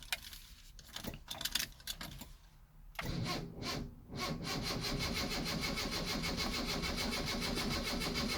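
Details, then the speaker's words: 1974 Honda Civic Mk1 with choke out: keys rattle, then the starter cranks steadily but the engine won't fire, fuel pump not running; once the pump knocks to build pressure it starts. "no it does not want to start because there's no pump"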